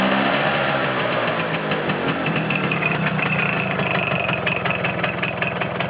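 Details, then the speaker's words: Vespa T5 two-stroke at idle, clutch engaged and disengaged: steady idle with an uneven, fast ticking rattle on top that stops when the clutch is pulled in and returns when released; abnormal noise, cause not pinned down. "Je débrais. Plus de bruit. Je rembrais. De nouveau le bruit."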